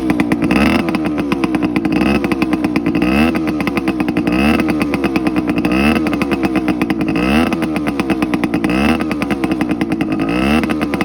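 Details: TC125 two-stroke dirt bike after a carb clean, a new fuel line with filter, and a switched spark plug: a crisp ring-ding bark revs up and drops back repeatedly, picking up cleanly each time. Normal running.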